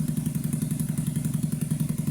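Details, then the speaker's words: 2009 Skyteam Badboy (PBR) 50cc four-stroke single idling after an oil change, a fixed vacuum leak and a slightly raised idle: even, quick thumping at a constant rate with no hunting or rattles, a normal healthy idle. "It's like that's the sound you want an engine to make. Just constant constantly the same noise while idling. No going ups and downs in revs. No weird rattling noises."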